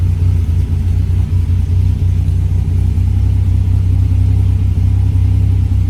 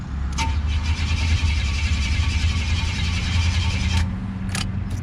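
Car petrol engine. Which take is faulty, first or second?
second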